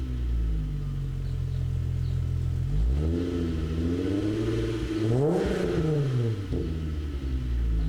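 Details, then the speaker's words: 1998 VW GTI VR6 with Magnaflow exhaust, driving: deep, even exhaust drone rising and falling smoothly with revs, no misfire, knocks or rattles; engine and exhaust sound healthy. "so you can hear the magnaflow exhaust"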